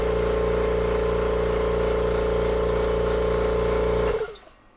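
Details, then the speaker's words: Kobalt Quiet Tech 26-gallon oil-free air compressor, second failure, one cylinder's torn piston cup already replaced: steady hum with a faint rhythmic squeak at about four per second until shutoff, coming from the other cylinder, whose piston cup is worn and needs replacing. "this one was the one that was most damaged but I can tell that there's some squeaking noise coming from this one so this one's worn to the point of needing to be repl"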